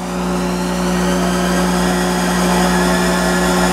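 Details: Monarch 10EE lathe after oiling carriage and warm-up, spindle kicked up to about 1200 rpm: steady hum, clean constant tone, no knocking or grinding; normal spindle running.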